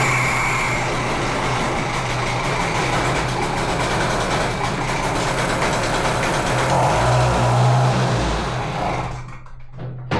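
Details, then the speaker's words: Di Blasi folding moped two-stroke, after spark was restored. A rough, uneven buzz runs about nine seconds, then fades and dies. The carburettor is thought clogged and the wiring is a mess. "It works! It was running, running. The carburetor is clogged."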